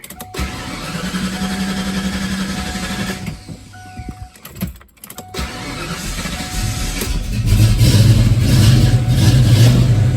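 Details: Ford Fox-body Mustang that starts perfectly first time each day but struggles when warm: long uneven cranking, a pause, then it catches and revs roughly with a surging, unsteady idle and miss; cause (fuel, spark, air) unconfirmed.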